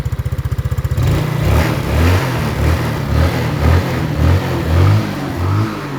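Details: Yamaha Mio scooter with freshly rebuilt engine, electric start: idle rising into smooth repeated throttle blips, revs climb and fall cleanly, no whine, rattle or stumble; seller says engine is steady and quiet, no smoke. Normal revving.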